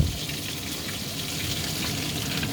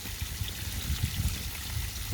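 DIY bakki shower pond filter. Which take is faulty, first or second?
first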